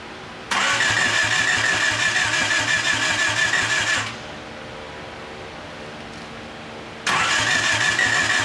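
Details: 1989 Honda Accord LXi coupe, after correcting a distributor installed 180° off. Fuel pressure leaks down, so the owner believes the injectors need refurbishing. Two long cranking bursts with a high starter whine, engine never catches. Cranking without starting.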